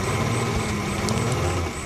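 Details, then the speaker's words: Suzuki Carry Extra petrol engine idling, starts easily: uneven, stumbling low beat, shaking misfire; suspected dead spark plug or too-narrow points gap. "Nah di sini guncang atau pincang ya"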